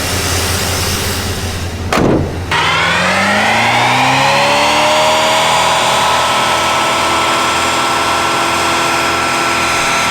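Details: 1982 C10 with a 305 TBI swapped in place of the factory Olds 350 diesel and a TCI-built 700R4, on old tires: short crank, catches quickly and revs, then settles to an even burbling idle with no misses or knocks; fired up fast and runs normally.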